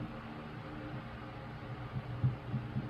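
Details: 1938 GE 12-inch oscillating fan, catalog 49X929, after restoration, oscillating on low speed: low, soft steady hum with faint airy rush, no rattle or scraping; much quieter than high, runs smooth; normal.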